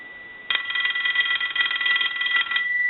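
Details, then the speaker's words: Stromberg Carlson 2-1553 rotary wall telephone under repair, bell adjusted toward maximum sensitivity, analyzer ring cycle on the low setting: clean fast metallic bell trill about two seconds over faint hum, rings properly. "so what we want to do is start a ring cycle on the low side with the analyzer so that's on the low setting"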